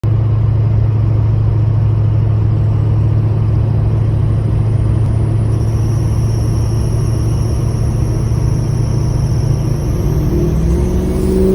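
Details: 2004 Ford F-250 6.0 Powerstroke diesel under load, warm: deep rumble with thin high ticking squeal climbing with engine speed; began after new aluminium radiator, cap, injector work, 4" exhaust; not cold, in park or powerbraking; cause unknown.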